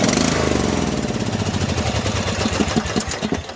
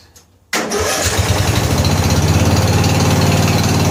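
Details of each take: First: 14 HP Briggs & Stratton engine in a Murray riding mower, fuel tank empty, parking brake on: steady cranking thumps turn into a few quick firing pulses that fade; catches briefly on what little fuel it had. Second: 14 HP Briggs & Stratton single-cylinder engine in a free Murray riding mower, carburetor flooding, oil smelling of gas: catches and runs at a steady, even beat with no misses, then shuts down; little backfire possibly from gas in the exhaust.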